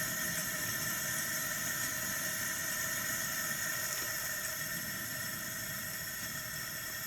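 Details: 1978 Coleman two-burner stove, pumped about 30 times to pressurize, burner turned full up while warming. Steady, even hissing roar with no sputter. Some yellow raw-gas flame remains until the pipe gets hot. Normal burner roar.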